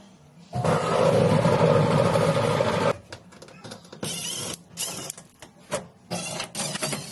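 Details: Samsung dryer not heating: a loud rough roar for a couple of seconds, then uneven bursts of rumbling; cause of noise unknown.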